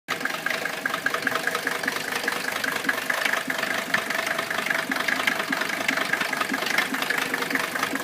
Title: Mercedes rough idle and no power